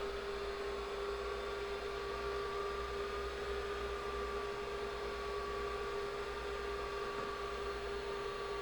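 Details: IBM 5150 PC with IMI 10MB MFM hard drive at power-on: steady high whine over constant low hum, no knocks; drive spins but has not been readable on any system, may need low-level format on this controller.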